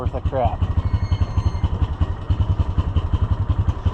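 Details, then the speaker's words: Neighbor's side-by-side UTV: low engine thump pulsing unevenly at about four beats a second, surging and dipping at idle and stalling; it accelerates fine but idles roughly, cause unknown. "Accelerates [clears throat] good. Doesn't run worth a darn at an idle."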